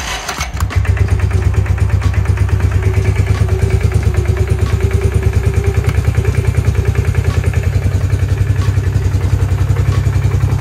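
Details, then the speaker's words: 2003 Bombardier Quest 500 ATV running in gear: heavy low thumping with a juddering shudder, stuck in gear and won't come out; sticking primary clutch, suspected failed one-way bearing needing replacement. "still can't get it out of gear you can see it's shuttering that guessing we're going to have to replace that oneway bearing in there"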